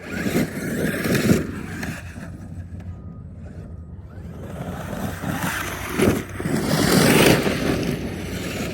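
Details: Traxxas X-Maxx electric RC truck driving with an uneven clicking and scraping from a broken ("cooked") differential.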